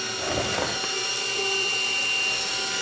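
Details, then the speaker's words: Sony DSR-11 DVCAM deck, front cover off, in rewind: steady high-pitched screech with thin whistling tones over tape-wind noise; owner thinks it's the capstan motor bearing. "that's a little better still out I think that's the caps and motor [Music] bearing but not too"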